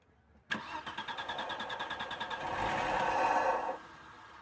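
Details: 1996 Audi 80 Coupe 2.6 V6 unmoved for 15 years: quick cranking, then it catches on petrol dribbled into the air intake and runs about a second before dying; fuel pump not delivering.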